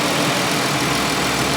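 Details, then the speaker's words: Minivan or Ford Escape just bought at auction, radiator found empty though reservoir has coolant: steady even idle with smooth hum, no knocks or ticks, water splashing as it's poured into the radiator. "The motor sounds healthy, sounds very, very happy."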